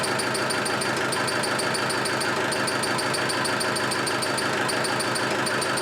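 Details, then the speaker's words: Land Rover 110 300Tdi diesel, rebuilt last year, running without coolant: sharp high chirp repeating about three times a second, no screech when cranking but screeches once started; seems mid-engine, clutch release bearing suspected, source not yet found. "they no Screech it's no Screech when it's cranking but when it starts it screeches I'm just wondering if it's the the U clutch bearing now I can't think of anything else"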